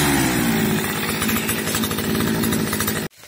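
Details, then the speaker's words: Petrol string trimmer that had spark but would not start, after the carburetor was replaced: small two-stroke runs at a steady buzzing speed for about three seconds, then cuts off cleanly; normal running, starts easily now. "как только поменял карбюратор вообще никаких проблем сразу начал заводиться тык-тык и все"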